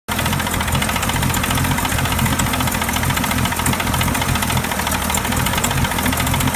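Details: 1999 Mercury 40 hp outboard idling with a steady, rapid knock over the low engine rumble; owner unsure whether the knock is from the engine or the outdrive.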